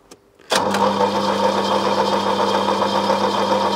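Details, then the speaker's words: 1980s Opel Monza coupe barn find, injected 3.0-litre GM straight six: steady churning crank that never catches, no fuel pump hum heard and no fuel arriving; suspected dead fuel pump. "and I can't hear the pump I don't think the pump's working no so we either would get under there and play with the pump"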